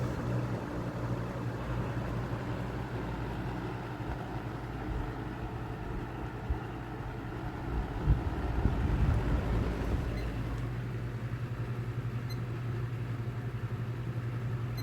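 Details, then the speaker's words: Early-1990s Robeson 2393 20-inch box fan on medium, about 20 watts: low motor hum with uneven wobbling throb; blade hub warped from years of sun shakes the fan, possibly wearing the motor, bearings still good. "Still shaking quite a bit. You can tell that you can just see the hub. I don't know if you can see how warped it is from the sun, from years of the sun being on it."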